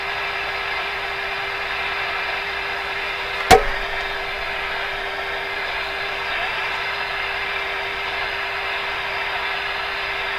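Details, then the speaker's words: RCA A-32 Globetrotter radio during band listening test: constant mid-pitched buzzing tone with overtones over hiss, plus a click, caused by interference from a nearby soldering iron; gone once switched off. "So that's what that tone has been all this time. My soldering iron."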